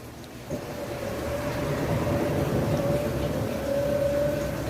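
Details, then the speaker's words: Washing machine spin cycle after repairing a loud jet-takeoff-like spin noise: smooth, even spin with one steady mid-pitched hum, no knocking or roaring; quiet and healthy after repair. "ó ó e Olha como essa máquina tá silenciosa pessoal é a diferença a diferença do barulho Olha o silêncio dessa máquina e trabalhando é"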